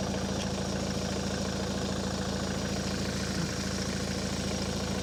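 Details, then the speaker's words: Ford S-Max 2.0 TDCi diesel, 2010, about 80,000 miles, idling after a fuel filter change and priming. Smooth, steady idle at about three and a half pulses a second, no stumble or knock, hasn't cut out, no leaks: normal idle. "Can't see any leaks. Quite happy with that, and it hasn't cut out either, so that's a positive."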